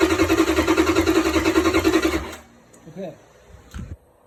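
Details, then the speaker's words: Hemi swap harness and PCM for a G3 Cuda on a bench test for a "no run" complaint: about two seconds of steady, even cranking at roughly three and a half turns a second while fuel pressure and handshake are verified; normal starter cranking. "I'm verifying fuel pressure. Uh verifying handshake when I'm holding the turn on the ignition and pressing the starter switch."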